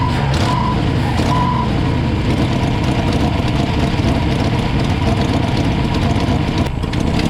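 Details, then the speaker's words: 1962 Ford F-350 with recently rebuilt carburetor: loping, uneven idle with a thick low rumble; owner suspects too rich at idle with mixture screws 1.5 turns out, cause unconfirmed. "so i really think we're too rich at idle but i only started the screws one and a half turns out"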